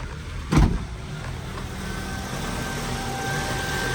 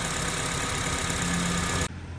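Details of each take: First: Honda idling rough, RPM fluctuating up and down, code P0507 (idle higher than expected) persisting after idle air control valve replacement; the air assist valve is suspected of sticking open when warm. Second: Honda with code P0507 (idle higher than expected) that had fluctuating rough idle, after repair: warm petrol engine idling steadily and evenly with no hunting, surging or knocking.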